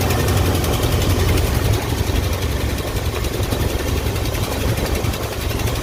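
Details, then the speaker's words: Early-1980s Ford F-150 being warmed up for tuning, with a lumpy, uneven idle and dull irregular beat. The ignition timing reads about top dead center against the usual 10 degrees, so it is too retarded and the distributor needs advancing. "as you can see our timing is apparently at right at top dead center i need to tweak this thing a little bit i need to advance this thing a little bit"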